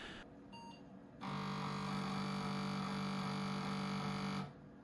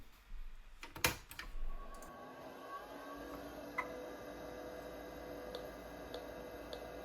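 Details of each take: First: 286 PC with 1 MB memory, accessing 5.25-inch floppy drive A: harsh steady buzzing drone for about three seconds, then cuts off; drive struggling, owner suspects a floppy disk was inserted the wrong way. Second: Old Kalok hard drive in a 286 PC running check disk: light irregular ticks and chatter over a steady spin hum, no scraping or repeated clunks; drive seeking normally.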